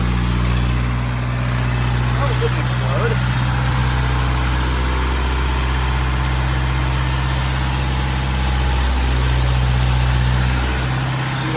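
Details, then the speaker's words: 1992 Toyota pickup after the charcoal canister and emissions vacuum delete: a steady, even idle that sits noticeably high with no hunting, caused by a vacuum line left unhooked from the manifold. "One more vacuum line I need to hook up somewhere. You hear it running line high."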